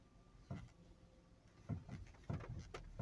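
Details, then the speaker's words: Toyota Sienna (1998/1999), engine mounts checked good: sharp hollow knocks, single and in quick pairs, as the steering wheel is turned; suspected steering system or ball joint, cause unconfirmed. "you hear that so it could be steering system or it could be the the bow joint"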